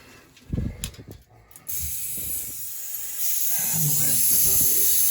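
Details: Circa-1980s Peerless gas boiler with banging noises, low system pressure raised, and a failed B&G 100 circulator: a sudden sharp hiss of escaping air turns wetter and spittier as water reaches the bleeder, hot. Air and water purging from the bleeder valve.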